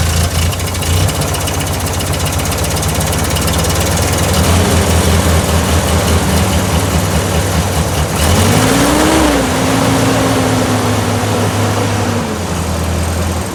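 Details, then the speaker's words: 1955 Ford 660 tractor, cold start with clutch down, a little throttle and choke: uneven, loping idle that stumbles as revs rise and fall, hitting on only three cylinders before warm-up; cold-start misfire. "Anybody who's been around these old Ford tractors knows they're all pretty cold natured. Hitting on 3 cylinders."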